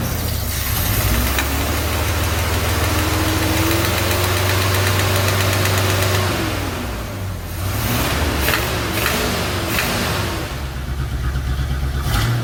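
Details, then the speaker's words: 1977 Chevy C10 Cheyenne 350 V8 with 4-barrel Quadrajet, sat several years, vacuum leak at carburetor gasket, held revved up: lumpy, uneven idle with stumbles and surging; misfire, cam suspected, carburetor to be replaced anyway. "well it's looking more and more like a cam but we're going to we got to replace the carburetor anyway"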